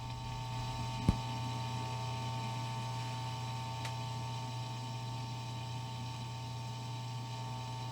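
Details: 1955 Magnatone 108 Varsity Deluxe tube amp, nothing plugged in, volume full up, mic aimed at amp: steady low mains hum plus a sharp crackle; hum and noise fault before opening up.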